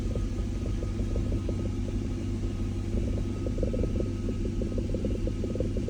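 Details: BMW E39 540 held in R or D at standstill: low rumble with sharp knock about three times a second and vibration; cause not pinned down.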